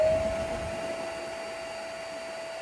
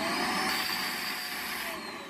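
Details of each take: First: Vacuum cleaner that made a muffled sound with poor suction, after cleaning the filters and refitting the hose: a clean, steady motor whine holding one pitch, then winding down smoothly at switch-off, with no strained or muffled note; the fix solved it. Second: Shark or Hoover vacuum: steady, muffled, strained motor whine with a thin high tone the moment it is switched on; problem persists after cleaning the filters, suction blockage choking the motor.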